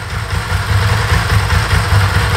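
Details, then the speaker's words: Bimota DB4 ie with Ducati engine, 10k miles, after a bit of warming up on choke/fast idle: lumpy, loping V-twin idle with a light dry rattle, the normal Ducati dry clutch; healthy engine. "there you go that's the bike you can hear that ducati clutch dry clutch there she isn't there she is sou"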